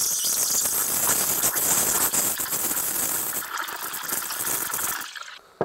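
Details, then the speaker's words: Espresso machine steam wand (CRM3605) in water, tip right at the surface: steady hiss with fast chirping as air is drawn in, unlike the squeal when buried; correct aeration position. "이놈은 물이기 때문에 지금 아무 변화는 없지만 방금 전과 같은 소리가 나야 돼요 치칙 처음에 낑 하는 소리랑 다르죠"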